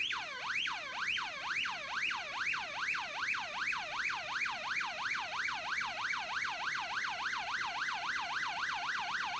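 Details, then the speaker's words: Early-1970s 6A/12860 stall warning tone generator from an Avro Shackleton on a bench test: a warbling tone sweeping up and down about 2.5 times a second, evenly; working normally. "Au dessus d'un certain angle d'attaque vous pourrez entendre le claquement du relais et vous remarquerez aussi que le son est plus fort."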